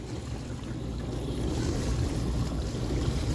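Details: KitchenAid KDTE104DSS0 dishwasher after replacing upper rack tracks and main motor/diverter assembly (old diverter leaked), quick rinse leak test: steady low motor hum under even swishing spray, no grinding or rattle; sounds good, washing normally.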